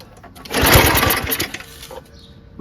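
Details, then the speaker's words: Yard Machines 22-inch dual-stage snowblower, 5.5 hp Tecumseh Snow King engine, pull-started unchoked on a hot day: one rough burst that dies without catching; it gets spark but won't run, cause not confirmed. "tell it's getting spark but it's just not turning over completely you know usually it'll kind of run a little bit"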